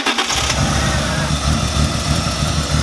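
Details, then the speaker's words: BMW E36 first start after replacing the fuel rail O-rings; short crank, then it catches and runs lumpy with uneven low pulses at idle, flooded from too much fuel primed into the rail and clearing it; flooded engine start. "Oh, you know what? I flooded the motor because I got so much fuel price up in there. So now the it's rail. So it's just getting rid of it."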